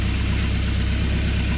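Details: Rebuilt Mercruiser 170 3.7L marine engine after break-in, about 1.5 hours on it, running through a makeshift wooden muffler: even, steady, loud low thrumming with no knocks or misses. Normal idle.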